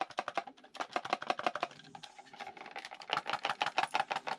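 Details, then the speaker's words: Syma X23 quadcopter handset shaken: quick bursts of light plastic clicks, around three a second; loose battery rattling in its compartment of a cheaply engineered toy controller. "is it rattling well that's a good question and the answer is because it's a toy and it's not engineered well"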